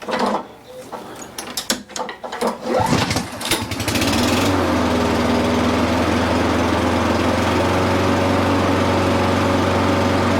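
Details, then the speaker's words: Honda lawn mower after governor adjustment, target 3,600 rpm: after the pull start it settles into a steady, even high hum with no surging or over-revving; governed speed now correct (it previously ran high). "Okay, there it is. I wanted to make sure that everything was good to go for the turning off portion of it, but right now the engine speed is good."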